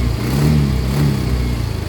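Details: Yamaha Mio i125 scooter with a misfire and hard starting: uneven, lumpy running that surges, then pulses and shakes unsteadily. A misfire possibly caused by a dirty throttle body that may need cleaning.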